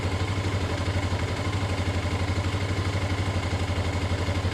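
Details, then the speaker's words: CG/CB-type motorcycle carburetor, low-speed circuit: with the air screw set at one and a half turns the single-cylinder idle is found stable, an even exhaust thump about four beats a second with no hunting or misses; normal idle. "y bueno encontramos la estabilización correcta en una vuelta y media"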